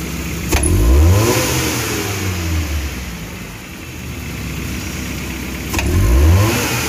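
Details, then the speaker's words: Futura 1.5 (1500 cc) car after fix for hesitation on sudden throttle: two quick blips from steady idle climb and fall cleanly without delay or shake; mechanic suspects low fuel pump pressure, possibly needing pump and filter. "erasinya kalau dari gas-gasnya ini saat kita injak secara spontan ini udah normal Ya udah langsung udah langsung responsif tidak delay kayak sebelumnya ndak getar dulu baru ngegas gitu baru tinggi untuk gasnya nih ya nih"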